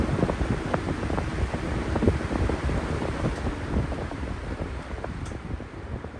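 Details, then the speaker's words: 1997 Lasko 3733 box fan with period-correct D blades replacing mismatched ones: steady rushing airflow with soft even flutter, no hum or rubbing; previous hum caused by wrong blades is gone; sounds healthy. "well that hum no longer exists with the proper D blades on it and it sounds great it sounds amazing"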